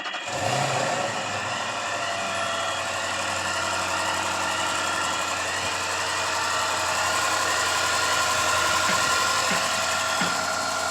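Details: Range Rover 405 naturally aspirated engine, with a humming noise diagnosed by removing the belt and checking the pulley. After a new belt and engine mounting, it has an even, settled idle with a soft steady pulse and no hum: normal.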